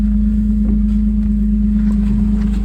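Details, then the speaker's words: 1998 Suzuki Jimny K6A turbo, about 124,000 km, at idle with an aftermarket exhaust tip apparently welded on: smooth, slightly deep exhaust burble holding one steady tone, no puffing or ticking; healthy idle note. "Nothing crazy. It does have a little bit of a deeper sound. It does have an aftermarket looks like maybe just a tip welded on."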